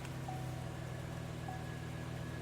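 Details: Chevrolet Silverado after replacing the failed fuel pump control module, which had caused a no-start: a steady, even low rumble with no misses, knocks or surging. The engine runs smoothly at a settled idle.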